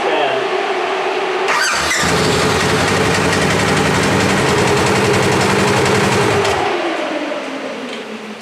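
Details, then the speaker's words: 2017 Polaris RZR XP 4 1000 in limp mode with multiple codes (coolant temperature, speed, gear, EPS, throttle body), ECU reconnected: steady fan whoosh present at key-on before the engine fires and after it stops; radiator fans running at startup from faulty ECU. "all right I'm going to start it up we'll see what it does s already pick the fans on that's"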